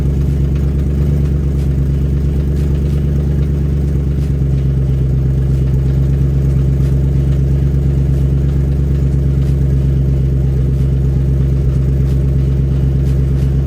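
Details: Coyote-swapped supercharged SN95 Mustang with freshly rebuilt 4R70W automatic, H-pipe loosened from the transmission to test: engine running with a dull, low rattling clatter under the drone that doesn't clear; transmission suspected, not confirmed.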